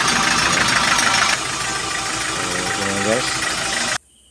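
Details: 2024 KIA K2500 diesel after bleeding air from injector lines (hard-starting problem): brief cranking, then fires and holds steady even idle; normal start and idle.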